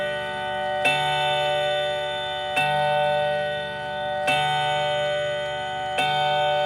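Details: Brand-new Howard Miller clock just unboxed, chime switched on: clear bell chimes struck evenly about every second and a half over a quiet background; clock running and chiming normally.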